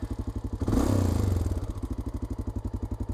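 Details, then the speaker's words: Honda Dominator 650 single-cylinder motorcycle on a trip: thumping at idle with a brief throttle blip and a light mechanical clatter on each beat. A recurring engine noise; the cause is undiagnosed. "støjen er tilbage kan du høre at det virkelig lyder dårlige fyre hvad er det"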